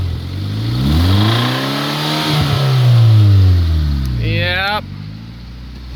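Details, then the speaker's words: 2003 Honda Civic running without a muffler, catalytic converter still fitted: loud revs up and down with a dull knock underneath. Engine knock, likely bottom end, not confirmed; the engine is judged near its end. "honestly it's not too much louder i think you can hear the knock"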